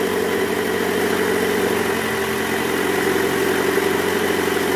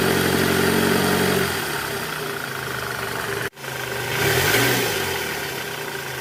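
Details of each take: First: 2008 Toyota Camry 2.4 V, 2AZ-FE engine, held in reverse at about 1200 rpm: low, rough growl from the accessory belt tensioner with a weakened spring; noise gone after tensioner replacement. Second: 2008 Toyota Camry 2.4 V, 2AZ-FE engine, in reverse at about 1200 rpm after replacing the weak belt tensioner; steady even hum, growl from the belt side gone; normal idle in gear after repair.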